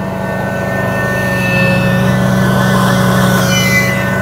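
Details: Grand LX valve maintenance trailer vacuum system under test: engine holds a steady drone under load while a strong, even, high blower whine rides on top; vacuum pulling well, normal operation.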